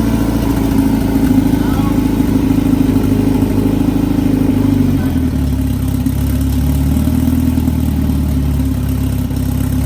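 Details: Big-turbo Honda F20B four-cylinder EG hatch, started after new TPS calibrated and throttle body refitted; idles then settles after a blip, even low hum, no knocking; sounds good, normal running.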